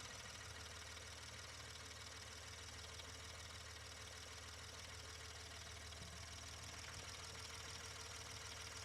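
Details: 2016 Ford Expedition 3.5 EcoBoost, test start after a tune-up, the earlier problem having been on cylinders one and two: settles into a steady, even idle with no stumble or miss.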